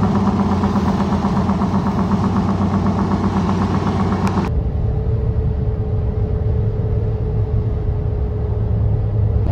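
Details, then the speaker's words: Goodyear Wrangler Authority tires on a truck after 40,000 miles, rotated only once, were phone-recorded at highway speed. They give a loud droning roar with a rough, throbbing slap from the front tires' unevenly worn inner lugs (every 4th–5th tread). "And then at higher speeds, you'll hear it in the clips shortly here, but the sound of them like slapping the pavement for every like extra worn knob here was just terrible."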